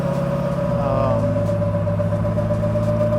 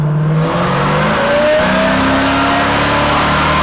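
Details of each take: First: LS9 with Kong ported 2.3L supercharger, ported heads, PDS Stage 4 cam and 4L80E in a 3rd-gen Camaro convertible, tuned to run MAF-only with transient dialed in: strong, smooth pull with clean supercharger whine, no stumble; very responsive. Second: 1991 Camaro convertible with supercharged LS9 and 4L80e on a third-gear pull after switching from MAF to EQ airflow. The engine note rises strongly under load, then suddenly drops off around four seconds and stumbles back. This was a fuel cut, found to be a leftover speed limiter.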